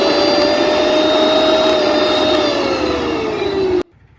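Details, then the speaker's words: Mixer grinder after repair (cover removed, wiring and overload switch refitted): motor runs with a smooth, steady high whine, then winds down and stops, no grinding or rattle; normal running. "ഇപ്പോ മിക്സിന്റെ sound ഒക്കെ മാറി clear ആയി ഫിറ്റിം okay ആയി"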